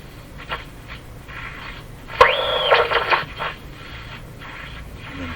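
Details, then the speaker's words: Eatons Universal Electrohome floorstanding tube radio, fault not yet found: quiet hiss, then a second-long squealing, warbling burst while tuning that drops away; set breaks into oscillation on part of the dial. "radio still behaves the same way it was behaving before breaking into oscillation up around here somewhere"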